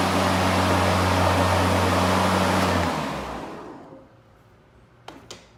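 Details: EGO LM2142SP 21" dual-battery brushless self-propelled mower, new out of the box with mulcher fitted, switched on once: smooth, even motor and blade whoosh for about three seconds, then a clean wind-down; normal run.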